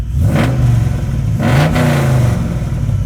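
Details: 1981 Chevy Camaro with 6.0 LS swap and MagnaFlow exhausts, just bought: starts right up with a deep, even V8 rumble, two crisp rev blips and a steady return to idle. Engine sounds healthy.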